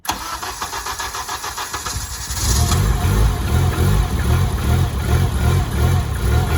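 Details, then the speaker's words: Honda 7th-gen with modded K24A1, VTEC locked, turbo, EP3 transmission, first start: catches after cranking, runs only when revved, choppy lumpy beat dipping between blips; won't idle on its own, TPS not yet calibrated. "on its own she's alive but not idling on its own you got to keep revving it"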